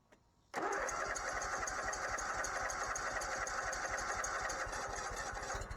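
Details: Bobcat ZT219 zero-turn mower after replacing the broken throttle cable and re-bending the choke rod Z-bend: one quick crank and it fires, then settles into a steady even drone with no hunting; starts and runs normally.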